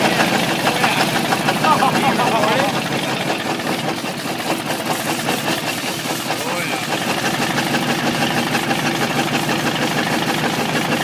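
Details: Ford 351W V8 with a spun bearing, abused: a rough idle with a hard, uneven knock about three times a second over the exhaust, a rod knock.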